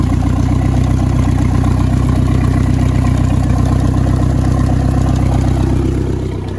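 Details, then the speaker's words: Starcraft boat inboard, stored six months, janky hot wire battery-to-coil; after spark check, on water hookup it idles with steady, even low rumble and regular firing, no knocks or misses; normal idle, running very well. "it's a running very well as a very good Idol"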